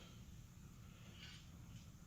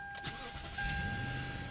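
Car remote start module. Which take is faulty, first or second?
first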